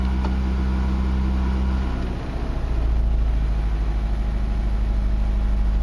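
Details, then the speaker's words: Mazda 626 2.0L automatic, EEC-IV cylinder balance test after the key-on engine-running codes: a small throttle blip, then fuel is cut to each cylinder in turn, giving a normal sputter. "go down here and only do a little blip not wide open throttle just a little blip and you hear the engine start revving up and then you're gonna hear it start cutting fuel to each cylinder and it will sputter and that's normal"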